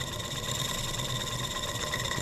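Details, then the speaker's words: German showman's steam engine under restoration, first trial run on steam with the throttle slightly open in forward rotation: steady, even running with a smooth low beat and hiss, no knocks or rattles. "give it a little bit of throttle it's one to go pinch our fire down you guys can do that exhaust sounds good no knocks or rattles"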